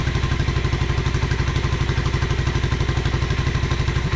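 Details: 1986 Honda Fourtrax 125 after carburetor cleaning: even, steady single-cylinder thump of about four beats a second, no misses or clatter; smooth normal idle.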